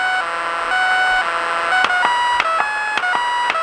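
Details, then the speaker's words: Lightning-damaged NuTone IMA3303 intercom: a warbling electronic whistle near 750 Hz, jumping in pitch between clicks, with a different pitch on AM and FM. Intercom audio oscillation, cause unknown. "and if you notice between am and fm the pitch of the distress call is different now the big question here is why does it do this"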